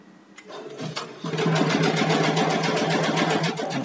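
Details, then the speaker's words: Computer embroidery machine that suddenly shut off, running again after the power supply was checked and fixed: steady quick rhythmic clatter around four stitches a second, even and unbroken; stitching normally as before. "Alhamdulillah ya, berjalan seperti sebelumnya."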